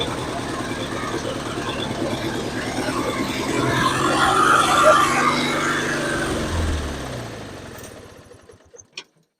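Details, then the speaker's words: Free 1993(?) Roper YT-14 mower, Briggs & Stratton 400707 14HP 656cc twin, gasoline: runs at about three pulses a second, swells, then fades and dies. No gas seen flowing, so owner thinks it's running on fumes. "I still don't see any gas flowing, so it must be running on fumes right now."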